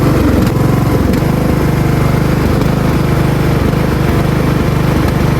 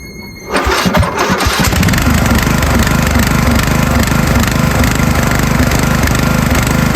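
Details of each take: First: Riding mower engine after its surging idle was fixed by turning the idle adjustment screw: it now idles smoothly at an even, low putter with no rise and fall in speed. Steady idle. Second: Small lawn mower engine with a crazy surging idle, speed hunting up and down and idling badly; fixed by turning the single idle adjustment screw, after which it runs perfectly.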